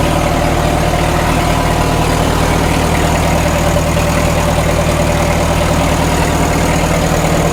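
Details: 1936 Caterpillar Twenty-Two tractor, first run after sitting for years and after a non-sparking magneto: a low, steady thrum at its slowest low-throttle setting with an even beat and no knocks or misses, and 35 PSI oil pressure. Normal idle.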